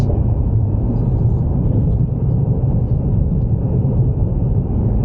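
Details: Ford Mustang driven over rough pavement after replacing worn upper and lower rear spring isolators, in-cabin steady road rumble with no clunk on bumps as before; normal suspension over bumps.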